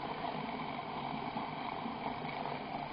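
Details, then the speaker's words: Electric motor on a Chinese ZW-BT1 VFD, previously used on a vibration table and lathe, run at low frequency around 10–12 Hz; dry gritty rumble with uneven rattling churn instead of a clean hum; worn motor bearings. "Так что уже подшипники немного посажены. Слышно шамотят."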